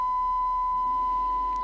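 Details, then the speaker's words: Sony TC-K415 cassette deck after replacing perished belts, split FF/REW motor cog and hard pinch roller, playing a test tape: steady pure 1 kHz tone, no wobble or dropouts; clean playback. "let's play and see what we have right that sounds to me like a nice clear one kilohertz tone"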